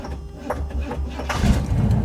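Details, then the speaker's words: 1986 Camaro Z28 V8 restarted hot after running: slow, uneven cranking over a second before catching; hard hot restart, owner suspects timing advanced too far and/or overheating, unconfirmed. "Yeah, you hear that? Either the timing is advanced too much or she's too hot. I'm gonna go with probably both."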